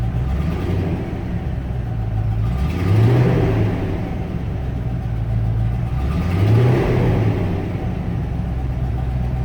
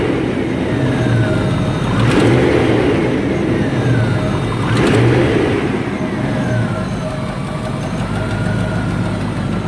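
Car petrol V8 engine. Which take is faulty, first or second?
second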